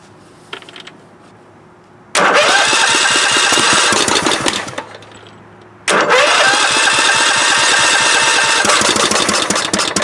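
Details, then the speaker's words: 1998 Scott's lawn tractor with swapped Kohler CV16S engine, start with choke on gasoline: cranks, twice catches and runs rough for seconds then falters; wants to run but won't keep going. "Oh, he wants to. Oh, it's struggling. It wants to, though."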